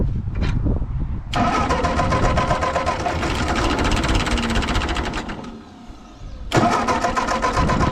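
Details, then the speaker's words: Ford 8N tractor on jumper pack after carburetor adjustment (one screw out one turn, high speed out one and a half): steady starter churning, about four turns a second, no firing; fuel line leaking slightly; no spark from failed ballast resistor. "I got the jumper pack hooked up and see if it fires up still not getting anything"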